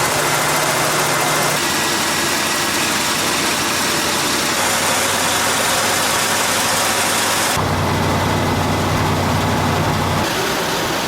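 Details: 1978 Jeep J20 4x4 plow truck V8, an auction buy, idling just after a very cold start with gas down the carburetor: steady, even, smooth low rumble with no knocks, ticks or misses. A good running engine; the fast idle hasn't come down yet.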